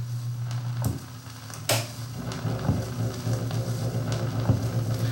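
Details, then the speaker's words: Thorens TD 165 belt-drive turntable during service: steady low hum-like rumble with faint clicks, motor vibration pulsating like a stepper motor, transmitted and picked up by the needle. "the noise is actually being transmitted from the motor and I can actually feel I it's like a stepper motor almost"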